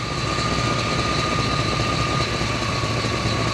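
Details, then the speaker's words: 1993 GMC C1500 5.7 V8 idling with the faulty O2 sensor unplugged to force open loop: a steady, even low rumble, idling better with no surging or hunting. "and as you can see it's already idling better and we're not getting that surge anymore"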